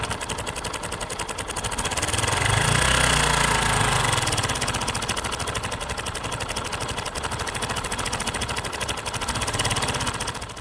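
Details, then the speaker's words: Kawasaki motorcycle engine idling with a fast, dry metallic rattle over the exhaust beat: cam chain/timing chain noise from the clutch side, e.g. tensioner push rod fitted fully out. "This is called cam chain or timing chain noise. It comes from the clutch side of the engine."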